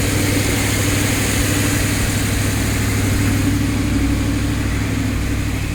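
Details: Audi R8 after a no-crank, no-start fault was repaired: deep, steady idle with an even rumble and no knocks, stumbles or hunting; the engine settles and runs smoothly, a normal idle.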